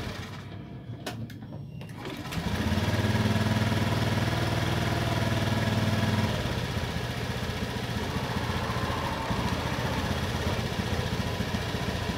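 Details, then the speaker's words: Honda Beat FI scooter, idle unstable after a service, sometimes high and sometimes low, suspected IACV sensor error: engine catches at fast idle, then drops and wanders instead of holding steady; unstable idle. "Tetapi motor ini terkadang tinggi stasionernya. Maksudnya gasnya tinggi dan juga kecil."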